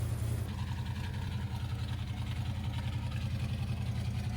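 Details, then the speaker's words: 1979 Ford F150 V8 after carburetor rebuild for overflowing floats: low, uneven loping idle with an irregular pulse; owner suspects an ignition misfire, possibly coils not fully plugged on, not confirmed. "it's also weird it seems like I'm having a like ignition issue like a misfire I don't know if maybe one of these coils or couple of these coils aren't plugged fully on but I'll uh address one thing at a time go ahead"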